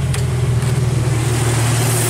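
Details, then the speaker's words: Jeep Wrangler YJ (no factory AC) idling with newly installed belt-driven onboard air compressor engaged via added idler pulley and new serpentine belt: smooth even idle, steady pumping drone, no belt squeal or slap; compressor cuts in at 95, off at 125 psi; normal. "okay right now it's set to zero and turn the air compressor on"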